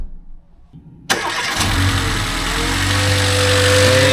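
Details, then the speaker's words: 2009 Mercedes B150, 221,000 km, after roadside replacement of a snapped belt following a rear crank seal leak repair: quick crank, clean catch, smooth steady idle with no squeal or chirp; quiet, normal start and idle, fixed. "it's quiet. No more noise. Sounds good, Robin. So this is fixed."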